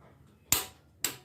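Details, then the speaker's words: Fiat Palio Fire 16V timing belt replacement: two sharp clicks of a click-type torque wrench reaching 120 N·m on the camshaft pulley bolt. "Esse é o estalo do torquímetro. 120 newtons apertado nesse parafuso da polia do comando de válvula."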